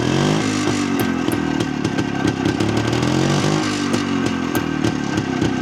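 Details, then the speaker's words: Jawa 250 type 353 two-stroke motorcycle, after restoration and adjustment: busy running with sharp irregular clicks over the exhaust beat; owner hears an odd noise of unknown source, still there with cover removed. "Joku outo ieni vähän kuuluu tuossa, että en tiedä."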